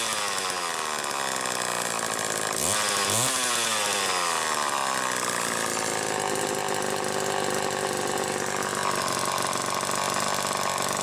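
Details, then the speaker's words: Late-1960s Homelite EZ chainsaw (2.1 cu in, manual oiler) test-run after repair, warm with no choke. It revs cleanly and settles into a steady high buzz, running strong and even. Normal running. "now it's ready to go and we're going to do a test run so you can hear it"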